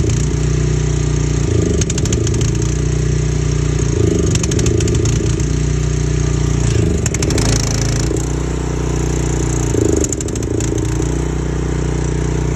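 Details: 4 gpm pressure washer small engine with a rough idle: speed sags and catches every few seconds with clattery hunting; cause not yet found.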